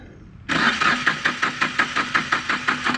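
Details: Yanmar 3TN diesel cranks in even chugs, about five or six a second, for over two seconds but never catches; crank, no start.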